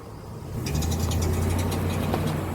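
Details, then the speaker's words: GMC Envoy XUV, recorded from inside with the window down: under acceleration a rapid light metallic tapping rides over the low drone and fades as load eases; mechanics couldn't identify it, one shop suggested flex plate, no crack seen, unconfirmed. "Let me accelerate so you can hear. Nothing. Now here's where you get the tapping. Let me know if you hear this."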